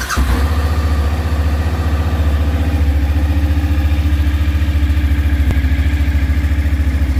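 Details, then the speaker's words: Suzuki V-Strom DL1000, cold first start after clutch basket replacement and valve adjustment: even, deep V-twin idle, steady lumpy beat, no rattle or knock, smoke from left thought normal when cold; healthy. "we have a lot of smoke from the left but I think it's normal for a cold bike like this we'll see after but for now except all the smoke I think everything look just fine"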